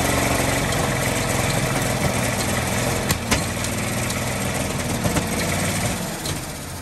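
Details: 1948 Ford F-5 ex-ice truck six, first run after about 45 years sitting: rough running with an occasional sharp irregular pop. Owner believes the number six lifter catches on its spring and pops back, not a bottom-end knock.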